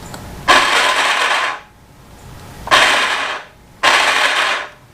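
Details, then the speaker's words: 1971 Harley-Davidson Sportster XLH 900 barn find: three short, smooth, high whirs with no compression thumps; starter spins without turning the engine; seller suspects a sheared flywheel keyway, not yet confirmed. "I can hear something turning, but it's not turning over the engine. The guy I bought the bike from said that possibly the flywheel um keyway is sheared and it's just spinning on the shaft."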